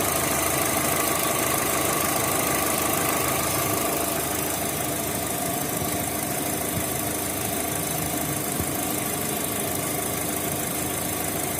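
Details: Opel Z18XE petrol engine with a Siemens Simtec 71.6 ECU: uneven stumbling idle from a misfire caused by a defective engine computer.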